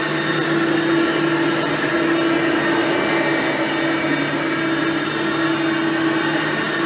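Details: Hoover Platinum Collection lightweight bagged upright, direct-air, running; steady, even, quiet motor whir with no rattles or pitch wander; normal running.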